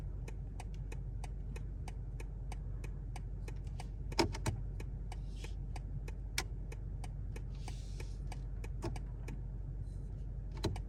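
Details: 2023 BMW G70 760i: sharp, evenly spaced clicks from the steering column, about two per second, while the turn signal runs. The noise is unchanged after BMW replaced the turn signal assembly, a steering column part and the spring.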